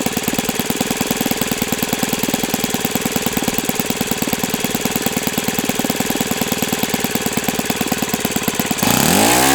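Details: OS FS-91S II four-stroke RC engine on a test stand, first run, warmed to operating temperature and feeling freer; crisp, even high-speed buzz at steady rpm without sag or misfire, then the prop spins down cleanly; runs healthy.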